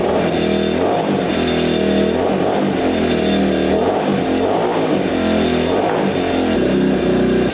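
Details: Yamaha Warrior 350 quad, unknown year, after carburetor cleaning and fresh fuel: single-cylinder revs up and drops back with a heavy burbly lazy note, still running rich; exhaust pipe suspected.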